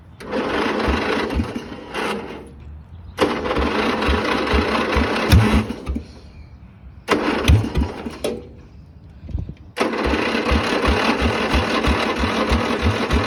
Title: Sears st10 with a bad starter